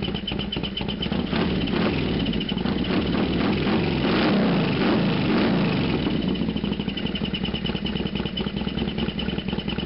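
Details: Harley FXDX warm after a half-mile ride down the road and back: V-twin idle with loud uneven clatter about three times a second over the beat; loud noise at warm idle, cause not pinned down.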